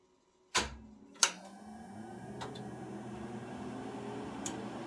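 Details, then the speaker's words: Harris transmitter rack powered from one strip, 120 V units on directly and 240 V units through a 4-pole 120 VAC-coil contactor: sharp contactor clack, second clunk, then rising steady fan hum; normal power-up. "as I turn it on, all the 120 volt stuff will turn on directly, and the 240 volt stuff will power on through the contactor."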